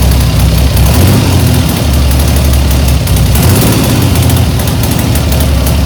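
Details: 1975 Triumph Trident T160 triple, first start after full rebuild, brand new engine: steady even low rumble at raised revs on choke, no knocks or misses; running cleanly.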